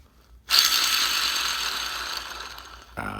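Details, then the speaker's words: 1938 Plymouth transmission input shaft (pinion) bearing, cleaned and degreased, spun by hand: dry, gritty rattle like rocks in a coffee can, fading as it slows; worn bearing rattle, to be replaced with new SKF. "this almost sounds like a bunch of rocks rattle around the coffee can quite noisy"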